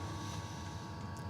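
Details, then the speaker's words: Custom Webasto water heater and Chinese diesel heater hybrid, after about 5–7 minutes on heat setting 4 (radiator 56°); soft steady low roar, no pulsing or sputter; burner running normally. "now we're using the diesel heater let's turn it up to Max and leave it five more minutes"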